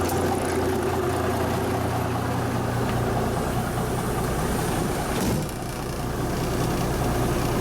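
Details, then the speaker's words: 1974 Kenworth W900A with an NTA420 Cummins diesel, started first try after three years of sitting, idling indoors in a big building: a deep, steady, even rumble with no knocks or misses; normal idle. "sounds good inside a building oh it's going"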